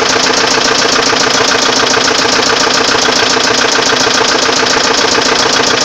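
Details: Volvo 850 engine at steady idle with a fast, even tapping at about three to four beats a second; engine knock of unknown origin, no fix known.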